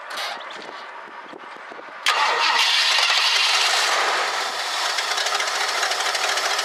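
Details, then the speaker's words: 1965 Ford Galaxie 500 two-door hardtop, fuel poured into the carburetor after 5 gallons added to the tank: two seconds of cranking, then it catches and runs rough, sagging; little fuel coming from the fuel pump, owner thinks the pump needs replacing. "Basically, I don't think there's enough fuel coming out of the fuel pump. I think we need to uh get a new fuel pump."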